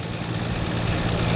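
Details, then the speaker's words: Nissan RB26 with solid lifters, imported in 2016 with a cylinder-head noise, warm idle: sounds fine for about 10 seconds, then a fast, light ticking keeps pace with the engine. The owner says it is not lifter tick; the car also lacks power, and the oil is good with no overheating. "and then after 10 second you can hear this ticking now I know the the rb26 they've got solid lifters I know they usually ticking louder than usual but this is not um lifter ticking so this is something else"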